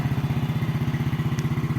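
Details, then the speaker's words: 2009 Yamaha Mio scooter, just kick-started (needs two hands), idling: small even single-cylinder thumps, steady with no knock or rattle; the engine is smooth, the exhaust is not smoky, and it is a healthy normal idle. "Mesin halus ya. Halus mesinnya seperti ini. Bisa lihat suara halus CT juga halus ya."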